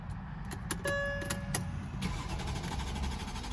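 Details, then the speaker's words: 2007 Mercedes-Benz S550 cranking before starter fluid is sprayed; starter turns the engine over in short bursts, it catches briefly and dies; no start from a failed fuel pump, starts when starter fluid is added. "so this is what it'll sound like if your fuel pumps out and it just turns off like that"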